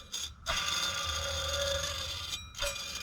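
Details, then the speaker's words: Lexus engine drive belt tensioner pulley spun by hand gives a gritty, ringing whir from a worn bearing. The tensioner or its bearing is to be replaced. The other pulley is completely seized. "so the drive belt tensioner is the thing I mentioned that I need to replace or at least the bearing because that doesn't sound"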